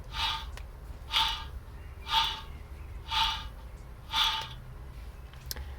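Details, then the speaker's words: Rear wheel bearing on a front-wheel-drive Alfa Romeo MiTo Quadrifoglio Verde, rusty and ran dry: a rough, gritty rasp about once a second as it is turned by hand, also audible from inside the car. "you hear the slight ticking noise that means the the balls the ball joint is rubbing against metal you can actually hear that from inside your car that's the noise that makes"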